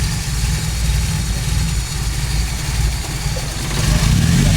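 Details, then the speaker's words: Toyota Great Corolla 4A-FE after ECU repair and data cloning, still cold, waiting for normal temperature, IAC raising idle: steady low even rumble at idle, speed lifting slightly near the end as it warms; normal cold idle. "Sementara seperti itu, EGU sudah dites bagus, menunggu sampai RPM ee temperatur normal."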